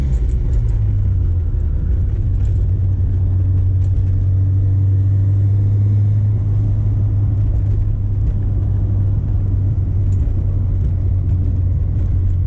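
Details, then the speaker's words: 1990 Mazda FC RX-7 turbo rotary on first drive after OMP deletion with block-off plate, new intake manifold gasket and rubber fuel lines: deep, even drone under load with no flutter, hiss or misfire, now building boost; unplugged OMP oil injector vacuum lines were the boost leak. "successfully building boost now, which means those OMP oil injectors that didn't have the vacuum lines on were definitely our boost leak."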